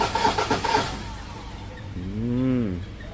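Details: Ford 2.0 bi-turbo, 150,000 km, after injector repair (third attempt) and fuel bleeding: short cranking pulses, then engine fires and revs up and back down smoothly; clean start with no misfire.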